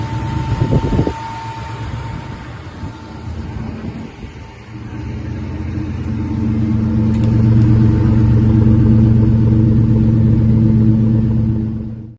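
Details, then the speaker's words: 2001 Mustang Bullitt that only ran briefly then died, fixed by replacing the missing fuel pump fuse: smooth even engine rumble climbing cleanly with revs and settling back, no misses or knocks. "And so here you'll see a little video of the car running, and that was quite a relief."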